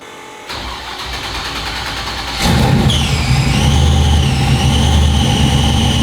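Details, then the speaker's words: Truck after dyno run, throttle body gasket just replaced: engine fires and settles, then a high wavering whine rises once charge pressure builds; suspected inside the transmission, not starter drag, unconfirmed. "For a split second, it didn't make a noise until some charge pressure came up, and then it started whining."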